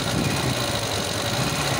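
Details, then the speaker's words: Volvo B20/B18 engine at idle: busy rattly idle with constant whirring clatter following engine speed, uneven idle and jumping timing; worn fiber timing gears, replacement needed. "usually they get noisy and only fails many hundreds if not thousands of miles late yes cars sound like a serious diesel land rover catastrophic failure will soon follow when it occurs engine cannot run until timing gears is replaced"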